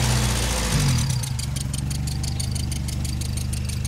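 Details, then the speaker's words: 1977 Toyota Corolla after exhaust joint repair with new bolts and clamp: steady low idle with light quick ticking puff, three or four a second; small leak remains at the bolts but much quieter than before. Minor exhaust leak. "there's still a bit of a leak where the bolts are but it's a lot quieter than it was"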